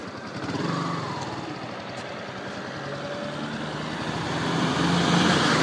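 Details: Yamaha R15 V2 running, steady rhythmic ticking about three or four per second; "tak tak tick tick" clicking from the chain or sprocket, cause unknown.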